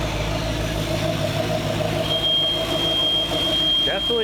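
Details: 23' Chaparral 2330 sport boat salvaged after an engine fire, first start after pressure washing, on water muffs: steady low idle, even hum with a faint high whistle; normal idle, though it warmed too fast and water flow seemed absent afterwards.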